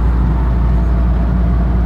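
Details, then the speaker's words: Nissan 300ZX cruising at about 60–65 mph: constant deep driveline rumble with nothing higher riding on it; owner suspects the driveshaft carrier bearing and U-joints and hopes it is not the rear differential. "if you can hear the rumbling behind me I think that my mid shaft carrier bearing and I think my universal complaints may also be out of way hoping is not anything in the rear end"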